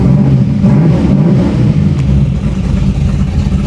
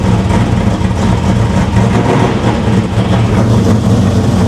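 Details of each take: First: 500 hp 1987 Chevy Monte Carlo SS V8 idling, heard from inside the car with the window rolled down; deep, choppy, loping big-cam idle with a steady low rumble, no knocks or misses, healthy. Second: 500 hp 1987 Chevy Monte Carlo SS V8 just after first startup, flooded with the choke still on; deep idle with an uneven, loping, surging beat, running rough while it clears excess fuel.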